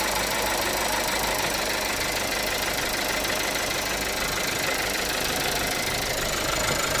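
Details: 2018 Audi A3 1.5 TFSI at idle: fast light ticking, roughly three a second, over a steady idle; the cause is not yet known.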